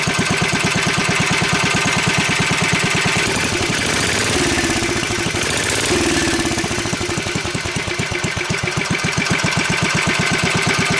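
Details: Wheel Horse 753 garden tractor, electric start being refitted: small engine runs with steady fast pulsing about four beats a second plus a rattle over it that seems to be getting worse; source not yet identified.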